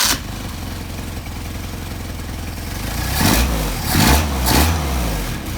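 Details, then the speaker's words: Mercedes 190SL with Solex carburetors, hot start after adjustment: brief crank, catches quickly, blips cleanly a few times and settles to steady idle; carbs tested perfectly. "there's a nice set of carburetors try hot start"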